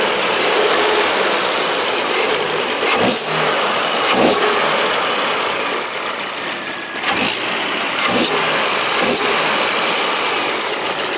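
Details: Volvo V70: engine blipped in short bursts with a sharp high hiss rising on each rev over idle; abnormal engine noise, cause not confirmed.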